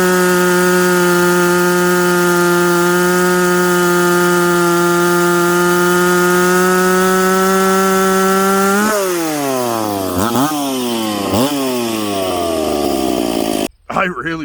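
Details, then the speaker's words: McCulloch Pro Mac 850 chainsaw with a home-built expansion pipe (no damper), cutting with fuel richened slightly after a 10,300 rpm cut. Clean high full-rev scream, pitch dipping and recovering as it bites. Normal operation under load; pipe judged a success. "but you know what friends it works i'm gonna say this pipe is a success with no dampering in it"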